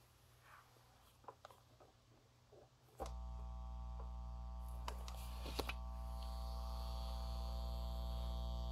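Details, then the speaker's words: Reloop Mixon 4 DJ controller on its stock unshielded power supply; after a few handling clicks a steady low electrical buzz from ground loop interference switches on abruptly through the speakers and stays, worsening with LED noise; fixed by a replacement power supply. "you hear that that buzzing that's nothing it gets worse do you hear that it's picking up all the all the noise from all the LEDs and everything on this thing"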